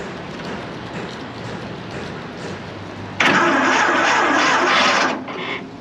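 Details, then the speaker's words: 1926 Seagrave ladder truck, first start attempt in over 50 years: labored, uneven cranking bursts as the starter fights a stuck valve, which is still sticking but freeing up a little. "Yeah, it's still sticking. It's getting easier."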